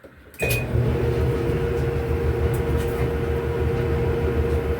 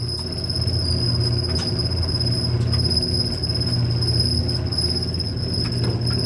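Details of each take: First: Whirlpool Cabrio dryer after replacing the idler pulley (W10547292), which had been screaming: it starts with a click, then runs with a smooth, even rumble and steady motor hum, no more grinding or squeaking. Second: Old Whirlpool Cabrio dryer running: steady high-pitched squeal over a low tumbling rumble, shaky and squealy, from a worn idler pulley bearing (W10547292).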